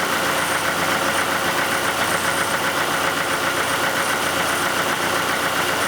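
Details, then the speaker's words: 1991 Oldsmobile Cutlass Calais 2.3L Quad 4 DOHC idling warmed up after injector repair: steady, even idle with the typical light rhythmic ticking and knocking, no stumble or miss, no longer misfiring. "well there it is turn and knocking like a good old Quad 4 but it's not misfiring if I hook up to my number one and four wire again"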